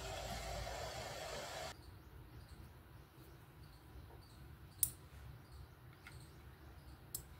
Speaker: you can also hear the clicking sound of the relay when an obstacle comes in front of the a sensor the relay gets activated